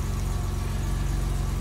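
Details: BMW E30 325ix with manual swap, back after a tow damaged its transfer case viscous, clutch just bled: engine catches and settles into an even, steady low idle with regular firing and no misses or knocks; healthy.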